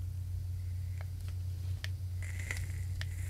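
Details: VOOPOO Argus GT with a Zeus atomizer at about 45 W, held near the microphone: faint hiss with a few soft crackles, much quieter crackle than the original atomizer, over low room hum.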